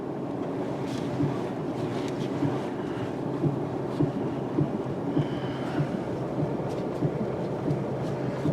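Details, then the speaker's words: 1996 Mercury Grand Marquis warming up at idle: soft, dull clunks as the steering wheel is worked back and forth, part of a noisy front end that also clunks over bumps. "The first noise you'll hear is when you move the steering wheel back and forth."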